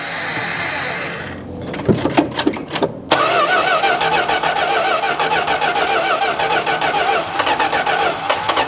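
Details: 1971 Plymouth Road Runner (questioned 340 H-code V8) after filter and fresh 10W-40 oil: starter grinds the engine over at an uneven churn with no catch or firing; cranks but won't start, with no fuel being delivered.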